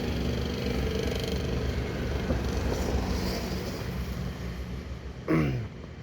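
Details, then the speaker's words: Suzuki APV A/C blower motor running: low rough snoring growl droning steadily, likened to a toy car, worsening at fan speeds 2–4; worn blower motor to be replaced with new. "suaranya seperti mobil Tamia ya mobil-mobilan Anak kecil itu jadi kita akan menggantinya dengan yang baru"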